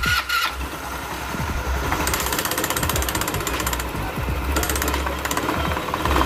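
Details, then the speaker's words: Customer's scooter CVT, cover off, a part found fitted backwards: rough, uneven metallic grinding swells as throttle is opened; suspected centrifugal clutch. "Podemos observar que el ruido viene prominente cuando la aceleramos. Posiblemente sea por la parte del centrífugo, probablemente sea por la parte del clutch."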